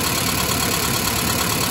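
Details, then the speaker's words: 1991 Mazda B2200 automatic after converting from electric in-tank to mechanical fuel pump: steady, even hiss-laden idle with no knocks, misses or surging; fuel pressure good, filter full, engine runs smoothly. "do pressure is good just at 4 and A2 your filter is full burring like a kitten"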